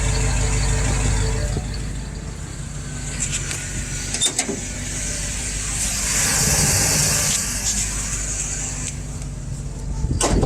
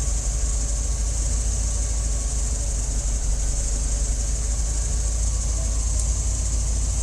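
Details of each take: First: FiTech EFI inline fuel pump with low-flow pump speed set back to 75: thin steady high whine over warm idling exhaust, pump stressed and heating, grows louder the longer it runs; lowering the setting fixes it. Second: Warm petrol engine idling with FiTech EFI in-line fuel pump after changing the pump setting from 75: even low rumble, pump noise gone instantly; normal quiet fuel pump at idle.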